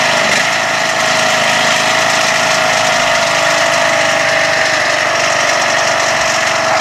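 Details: Toro Wheel Horse lawn tractor with rebuilt 21 hp engine, sat for some time, started on choke: catches quickly, then settles into a steady, even fast idle with constant pitch and no knocks or misses; runs healthy.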